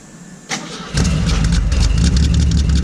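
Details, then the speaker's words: 1968 Ford Falcon on hydraulics at cold start: it cranks, catches and settles into a loud, puffing idle with a ticking, chuffing exhaust-leak edge and a little smoke; owner suspects a cracked exhaust manifold, possibly from scraping the ground. "You can hear this. It's developed some fun exhaust leaks too, so you'll get to. Oh, does it? Did it really? When did that start? I think the manifold cracked."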